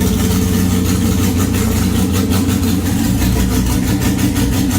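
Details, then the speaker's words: Superlite car running on a freshly welded exhaust with an X-pipe and no mufflers, out of gear: a deep, loud, raw burble at steady idle with a rapid, even pulse from the unmuffled exhaust. "Kind of curious what it sounds like even with no mufflers."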